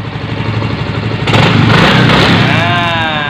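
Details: Yamaha Mio M3 125 scooter after engine repair for knocking noise: engine picks up cleanly on a throttle blip and drops back to smooth idle without clatter; rear axle/final-drive bearing found badly loose separately.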